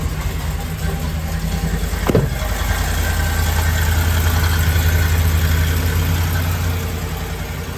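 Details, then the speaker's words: Ford F-150 5.4L 3V, cold start after a timing job: rough, lumpy idle with the whole engine shaking, one bank of cylinders misfiring, popping through the intake and a rattling knock-like noise, traced to incorrectly installed injectors. "pretty crazy right I mean the whole engine's shaking one whole Bank of cylinders misfiring we got popping through the intake we got this rattling and engine knocking type noise"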